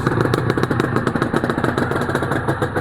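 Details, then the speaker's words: Honda NSR250R-SP MC18 250cc two-stroke with JHA pipes, on choke, power valve servo working; crisp, rapid, even popping burble at a steady idle without misses; normal two-stroke idle. "Wow, those pipes sound Those pipes, JHA pipes, sound lovely."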